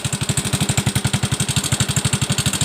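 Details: Yamaha Mio M3 125, noisy and hard to start after late oil changes: a rough, lumpy idle with a steady low thudding pulse about eight per second, and thin blue smoke when revved; a worn cylinder block burning oil.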